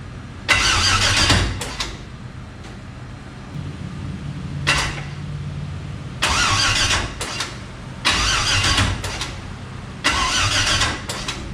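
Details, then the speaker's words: 1000 hp turbo LS-swapped Mustang, first start-up with fuel system new and cooling not finished: harsh roughly one-second cranking bursts in uneven spurts with no clean catch; sounds like it wants to start but won't; cause unknown. "What the hell is that doing? Doesn't sound good at all. Not good, boys and girls. Not good."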